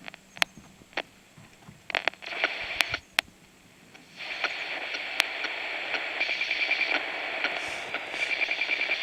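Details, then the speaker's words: USSR Sokol 403 AM transistor radio: crunchy random crackling static and pops over hiss, with weak volume. The cause is suspected to be a bad transistor or a bad capacitor. "Uh, but you'll hear the little crunchy static thing. It could be a bad transistor."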